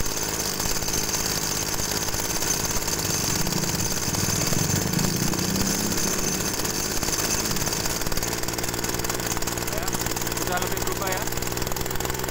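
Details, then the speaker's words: TU26 two-stroke agricultural sprayer engine during carburetor adjustment: a steady run with a harsh, rasping edge. The mixture has been set too lean, and it needs richening slightly. "nah ini kedengarannya gereng ya mesinnya ya kedengarannya gereng mesinnya ini terlalu irit kita boroskan sedikit"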